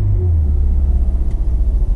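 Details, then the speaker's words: Auction car with 135 on the clock and service engine soon light: started oddly, lumpy uneven idle, a bit clacky; suspected dead cylinder, not confirmed. "it started a little weird i don't know what the deal is there sounds a little clacky no but i'd say there's a dead cylinder or something"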